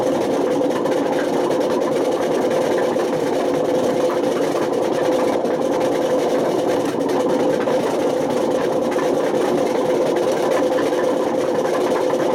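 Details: Washing machine on spin with badly worn drum bearings: constant hard rumble with a gritty drone and no let-up; damage reached the spider and motor, with risk of smoke, sparks and fire.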